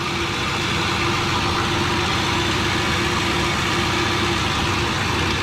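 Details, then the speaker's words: Newly built turbo V8 in an F150 at first start, burning oil off the headers: steady, even idle with a light ticking from fresh lifters holding air pockets, expected to go away once driven; normal idle with faint lifter tick. "Usually when you first fire them up, they're very liftery because the lifters have air pockets and it's actually very quiet. You can hear the lifters a little bit, but the more he's gonna go drive it, get on it and stuff, that lifter noise will go away."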